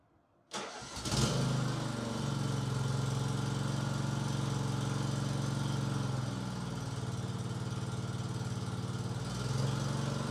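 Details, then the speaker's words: Troy-Bilt TB30 rear-engine mower with Powermore 10.5 HP single-cylinder engine after valve lash adjustment and new valve cover sealant: starts quickly and settles into a steady, even putt with no ticking or misses; healthy idle. "runs like a champ"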